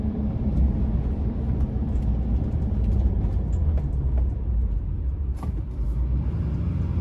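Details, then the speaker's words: 2006 Chevrolet Silverado 2500HD LBZ 6.6 Duramax, about 91,000 miles, lifted, braking through a corner on a drive: only steady low road and engine rumble, no clunks, pops or grinding, firm pedal; brakes normal. "brake pedals good and firm up top doesn't feel spongy give you a chance to listen to the brakes go around this corner"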